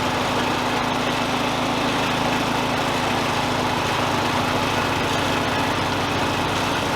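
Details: John Deere LA100 riding mower whose deck belt had been replaced three times: even engine drone with the deck spinning steadily, no squeal or slapping from the belt; running normally.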